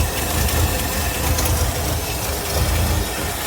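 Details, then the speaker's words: 1964 Buick LeSabre, first start after a leaky-carburettor rebuild: deep, slow, lumpy rumble that barely holds at a very low idle. The owner raises the idle screw, but it nearly stalls. "Look at that low idle. Just Just a humming along there."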